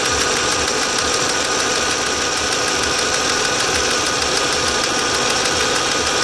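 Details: 2004 Audi A4 B6 1.8T, after a new water pump (cracked impeller, overheating) and new timing belt: uneven loping idle with irregular low thumps about three per second and a harsh hiss. It is a rough idle, cause unknown.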